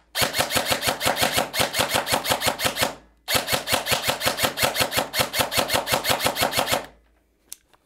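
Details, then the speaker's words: Delta Armory AR15 series S-AEG airsoft rifle: rapid full-auto bursts of about three shots per second with a rough, gritty edge; gears grinding/whining. "même ce modèle, malheureusement, les engrenages grincent, écoutez bien une fois dehors"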